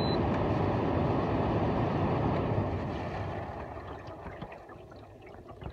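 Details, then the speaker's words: LG window AC unit with cleaned filter, set at 86, powering off: rushing, sloshing wash over the fan fading as it spins down; normal condensate water movement. "you hear some water swooshing right there so that's normal"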